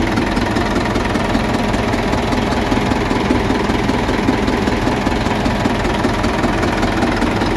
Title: 600 rpm in N, knocking sound more pronounced at the front of engine.